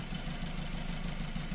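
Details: 2007 Suzuki SX4, automatic, check engine light with no misfire codes, heard at the tailpipe: uneven, lumpy idle pulse with a beat dropping out; single-cylinder misfire traced to a failed ignition coil.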